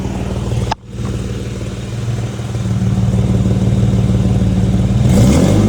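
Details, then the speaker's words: Petrol engine revving with a quick chuffing tick riding the exhaust note and climbing with revs; exhaust leak with a missing bolt found while fitting exhaust tips, owner blames it for warning lights, code P2A00 (O2 sensor). "I got a motherfucking exhaust leak and a missing fucking bolt. That's why it's causing my lights."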